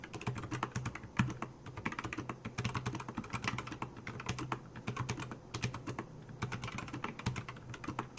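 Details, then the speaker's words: Keychron K4 with optical switches lubed in sections of grease, Super Lube oil and an oil-grease mix, typing test: even, muted clacks at a quick pace with no scratch, ping or rattle. Smooth and consistent. "So I lubed the entire most of my keyboard. This section is all grease. This section is all oil, and this side, this middle, is a little mixture."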